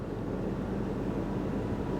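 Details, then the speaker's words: Dodge salvage-auction car on a Copart lot, jump-started from a pack because the battery is completely dead, at idle just after start: a short, steady, even low rumble with no knock or tick, a smooth healthy idle. "she sounds real good"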